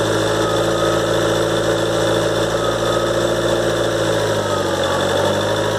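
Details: 2013 Ford Transit 2.2 diesel, cold, idling about a minute after start, after turbo repair (new compressor wheel, shaft bushings, seals, actuator motor and gears): steady high whistle above idle clatter at constant pitch; repair failed, owner suspects rotor imbalance.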